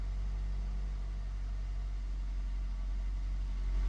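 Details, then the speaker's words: Engine just after a fuel system repair, with the IAC valve and intake manifold gaskets replaced, started in clear-flood mode: a steady, even warm-up idle on all four cylinders, with no misses, knocks or ticks. Some smoke afterward suggests a possible oil leak or residue. "Yeah. Harry, good to go. Running on all four. Nice warm-up idle."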